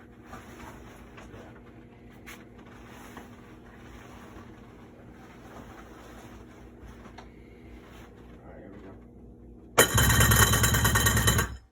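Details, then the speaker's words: 1994 Sea-Doo GTX watercraft at idle out of water: very loud, harsh clattering rattle, seemingly from the propeller area; began on the lake with loss of forward thrust after running rich and fouling plugs; cause unknown. "This is the 94 GTI Sea-Doo sound that we're looking at. There it is. It's loud. Let me know in the comments what you think that is."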